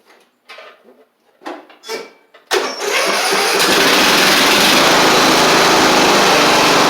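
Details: Sabre riding mower with a replaced head gasket, started before the blades are fitted: a few handling knocks, then the engine fires cleanly into a steady, even high-speed run with no misses. Smoke is residual oil burning off from the old gasket.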